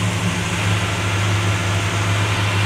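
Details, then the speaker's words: 1957 Chevy Bel Air 2-door V8, cooling fan running constantly: deep, steady low rumble holding even idle with no ticks, knocks or stumbles; sounds good, healthy idle, though a tune-up wouldn't hurt. "she runs pretty good probably wouldn't hurt to do a tuneup check those headlights those lights are actually pretty decent not bad at all it sounds good a decent tun"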